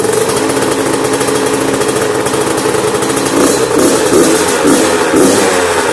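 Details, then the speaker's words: Yamaha YZ85 two-stroke after top-end and water pump rebuild and clearing a mouse nest from the plugged exhaust header, now running right. Crisp no-load throttle blips rise and fall cleanly, alternating rpm to seat the rings during break-in. No misfire or bogging: normal revving. "we never want a lot of idle guys always give them some rpm like that not gonna hurt it there's no load on it just don't over-rev it obviously"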